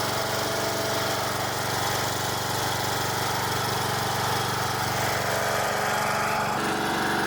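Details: Troy-Bilt lawn mower after repair, started on jump pack with choke, carburetor flooded at first for unknown reason: steady even single-cylinder chug holding speed without surging or stumbling; normal running.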